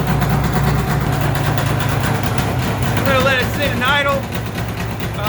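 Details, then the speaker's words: Polaris XC600 snowmobile, two-stroke, just rebuilt with new rings: a very loud, raspy idle with a harsh open crackle because the exhaust gasket is basically gone, leaking exhaust. "It's loud because you know, the exhaust gasket, it's you know, it's not there anymore. It's basically gone. So it's super loud."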